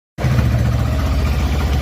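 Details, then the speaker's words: Small 150 or 160 motorcycle engine idling with a heavy, uneven knocking from the clutch side; cause found to be a completely broken clutch bearing. "tá vendo ele quebrada isso aqui galera rolamento da embreagem beleza ó ele quebrou totalmente"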